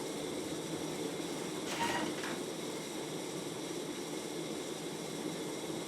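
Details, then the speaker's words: 1994 Casablanca Panama ceiling fan (50 or 52 inch) at top speed: steady soft whir with a constant dry hiss and faint rubbing from noisy worn motor bearings, somewhat reduced but not cured by WD-40; spin-down time still good. "I'll turn it off and like I said before despite the fact that these diss fans bearings are pretty noisy it does have a pretty good spin down time to it"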